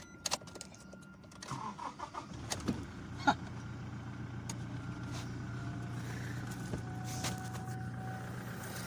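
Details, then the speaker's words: 2018 Toyota Hilux that would not start for four days; after holding the IVMS sensor, which its rubber/bracket no longer reached, and restoring the relay, clunks and key noise, then the engine catches and settles to a steady hum: normal engine start. "Okay guys, sumandar. Sumandar na siya."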